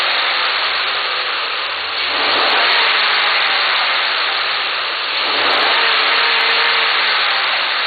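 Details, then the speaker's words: 2010 Ford Sport Trac Adrenalin, stock intake before K&N 63-2573 cold air intake install, parked: revs twice smoothly to about 3,500 RPM, factory idle limit, into an even roar and settles; no misses, normal. "Okay, before I actually do the installation, just want you guys to hear the sound from the stock intake system. Okay. And I'm gonna rev the engine to maybe 4,000, 5,000 RPM, so you can hear the sound."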